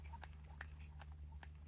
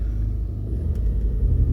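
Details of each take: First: Dry gritty crackles as an Audi's front suspension ball joint is rocked by hand; split boot left it without grease, rusted and worn, confirmed cause of front-end clunk over bumps. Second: Audi on a test drive after front suspension clunk repair: steady low road rumble with no clunks or knocks over the surface; front end tight, steering smoother, fault fixed.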